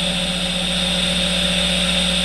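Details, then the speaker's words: 30-year-old Roland Jazz Chorus JC-120 guitar amp, idle on the high channel left input with a guitar plugged in: a steady bright hiss over a low constant hum, coming from the amp itself, not fixed by repairs. "It's a Jazz Chorus 120. And you hear it. It's got hissing and a humming sound to it."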